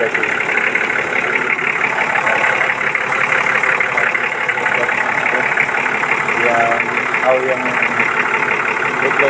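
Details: Vehicle that wouldn't start due to low battery and contaminated fuel filter: engine settles into a steady, even idle with no hunting, stumbling or misses; normal idle.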